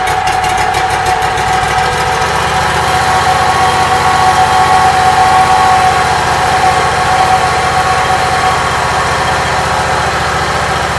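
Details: Briggs & Stratton Vanguard small twin, just rewired and started on choke, battery 12.53 V rising toward 13.3–14 V: steady mid-pitched idle with an even beat and faint constant whine; running fine.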